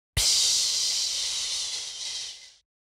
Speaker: les turbulences générées par les fuites produisent un sifflement spécifiques